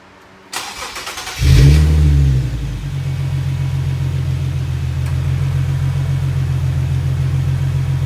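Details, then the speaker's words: Infiniti/Nissan VQ37 (Q50/G37/370Z) just after a serpentine belt replacement with a Gates K070795 belt: a short crank and quick catch with a brief flare, then a steady, even idle with no belt squeal or chirp; normal start and idle. "Well, let's fire it up, make sure nothing blows up."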